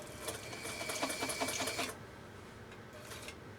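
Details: Elgin 2468 Japanese 1.3 amp sewing machine sewing a test stitch; fast, even needle clatter with a steady motor hum that stops cleanly, running smoothly and healthy.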